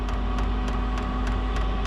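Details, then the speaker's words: Chinese diesel heater in a shed, still cold after firing off with ether assist, set to level 10–11 and spooling up: crisp regular fuel pump ticks about three a second over low steady hum; normal pumping. "come on that fuel pump's just giving"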